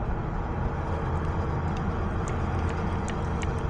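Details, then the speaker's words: Mazda NA Miata with 1.6-to-1.8 engine swap, no-start, injector test with power probe on cylinder 4: very faint thin injector ticking, clicks barely audible like cylinders 2 and 3, suggesting bad injectors; only one injector working; suspected, not confirmed. "And same deal, I can barely hear it clicking, so that tells me we've got some bad injectors."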